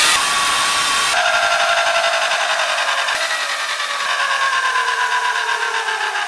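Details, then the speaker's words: A 1970 Sunbeam geared lawnmower motor (claimed 3HP, normally 120V AC) at full throttle on a PWM brushed DC controller from a 49V battery: a high steady whine with faint brush hiss eases slowly down, running smoothly and confirming AC and DC operation. "so this motor does work on ac and dc so this could go into a go card or it could go on to a bike"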